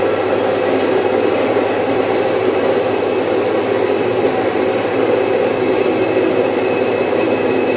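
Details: Domestic stone flour mill, single-phase 1 HP, splitting about 4.5–5 kg of moong into dal in three to four minutes. Even, unbroken whirring roar with no knocks or catches; smooth running under load.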